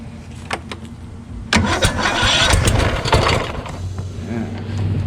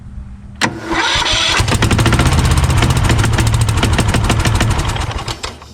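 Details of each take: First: Craftsman YS4500 lawn tractor repowered with Kohler Courage single, starter shimmed out under half a millimeter, about 36°F: starter whirs and grinds briefly, engine catches and runs unevenly; Bendix drive hanging up again. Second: Craftsman YS4500 lawn tractor repowered with a Kohler Courage engine, on choke, whose starter Bendix gear sticks up against the flywheel ring: brief crank, then it catches and runs steadily, stops, and fires cleanly again; normal start and run.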